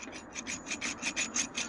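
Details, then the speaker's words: Removed wheel bearing from a vehicle that had been jumped, spun by hand: gritty rasping grind pulsing about five times a second; visibly full of debris and audible while driving. "that was definitely the bad one look down in there at that junk holy crap I told you we could hear him coming down the road man that thing is so"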